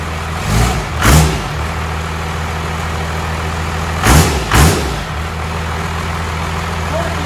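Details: Diesel engine for a 1956 Chevy truck, sitting on the shop floor, on its first fire-up after air was bled from the fuel system: steady low rumble with brief throttle blips, firing evenly, no knocks; runs fine.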